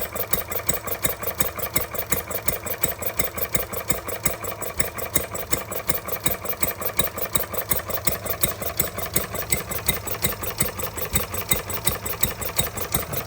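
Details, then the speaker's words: Stirling Kits Retrol G16 model stationary gas engine on first start after flooding, before slowing with the throttle, water pump not yet primed: crisp, even firing pulses roughly 167 per minute, steady rhythm; running smoothly. "Oh, that's what it was. I flooded it. I think she runs lovely."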